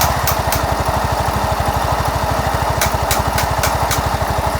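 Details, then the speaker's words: Yamaha Mio S 125 scooter idling with the CVT cover removed: a coarse, snoring growl from the CVT and gearbox area; worn CVT rear pulley bearings. "dan ini ya ini ada bunyi kasar di bagian Speedy dan punya ini seperti bunyi ngorok gitu ya teman-teman sembunyi apa ya Bunyi kasarnya itu seperti bunyi ngorok gitu ya"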